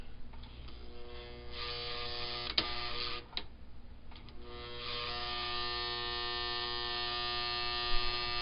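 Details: 1955 Lionel #2016 locomotive on first bench test before restoration: steady electrical hum with steady tones and a few sharp clicks, no running rhythm; motor energised but stalled, sounds like it wants to go, cause unknown.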